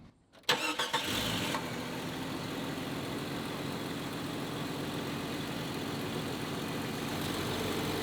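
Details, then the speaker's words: 1995 Jeep Cherokee XJ after JeepCables Big 7 wiring upgrade and high-output JS alternator install; brief crank, catches cleanly, settles into steady even idle with no dips or hunting; previously RPMs dropped and stalled at idle, now runs normally. "So I've been driving it around for a couple days now with the new alternator installed, and it's been running way better than it ever has before."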